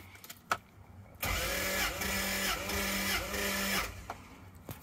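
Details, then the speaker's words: 1997 Lexus LX450 (Land Cruiser) 1FZ-FE during a cylinder compression test, readings around 175 psi with little variation between cylinders: about 2.5 seconds of even starter cranking with regular compression pulses; normal cranking, rings and valves healthy. "so what that tells us is we're holding good compression piston rings are healthy valves are seating correctly then taking exhaust valves and overall we've got a fairly healthy motor"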